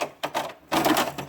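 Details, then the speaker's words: HP Deskjet F4480 printer that jams paper and makes internal noise, after cleaning a dirty encoder strip: short scraping, clattering bursts as the misaligned print carriage moves, rubbing and catching on the printer housing. "mas eu tô percebendo que ela tá com outro problema vou ligar aqui ó para o ela tá pegando o carro de impressão na carcaça da impressora"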